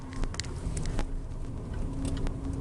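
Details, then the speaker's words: Renault Zoe on the same rough dirt road after stabilizer links were replaced: soft road rumble and faint tyre patter, no knocks or clunks over bumps; suspension now quiet. "якщо попередній стук дуже було чутно на кожній ямці то Зараз Тихенько машина їде так як потрібно і ніяких шумів Я не чую стуку ніяких стуків ніяких грюків"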